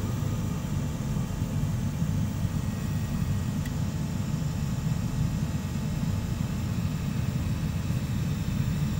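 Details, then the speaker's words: Commercial oil burner that had been locked out (E5), after pre-purge with pump running; deep steady roar, blue flame holding, no surging or sputter; pump pressure a little high (should be about 10 bar low, 22 bar high). "so once the heat is done here we go starting to run does a pre Purge pumps going there"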